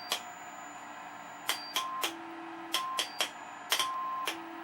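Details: Restored Admiral 30A15 television after resistor and wiring replacement and alignment, test tone through speaker: clean steady tones stepping between pitches with soft clicks, no hum or buzz; normal audio output.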